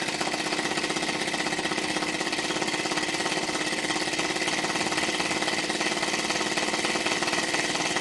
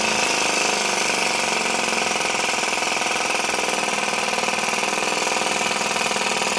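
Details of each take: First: Small hobby-built model engine warming up: fast rough chuffing ticks with no clean beat; slide valve apparently bumped and sitting out of square, so it runs poorly. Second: Little Blazer model two-stroke engine, one of four built, after warm-up to clear moisture that forms around the port: a high, fast buzzing note holding steady with no misses or surging, running normally.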